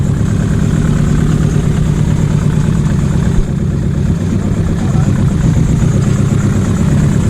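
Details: Nissan Pulsar GTiR first start in seven years during rebuild: deep idle with slight uneven lope and one brief dip in level; somewhat lumpy, owners suspect timing.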